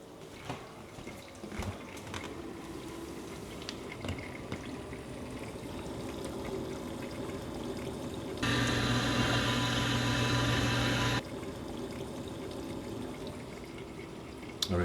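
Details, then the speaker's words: Maytag MDB9959SKZ dishwasher, about four years old, after replacing the grinding pump assembly W11416363: wash cycle with steady water swishing and spray drumming on the door, no grinding or pump whine, much quieter; normal wash cycle. "Yeah, the dishwasher is running. Can you hear it? And this is the wash cycle. Oh my gosh, that is so much more quiet."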